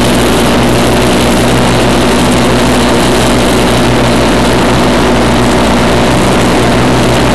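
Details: 1991 Craftsman GT6000, 20 hp Onan, first mow after deck lift eyelet bolt welded: steady, even drone holding speed under blade load, no knocks or surging; normal running under mowing load.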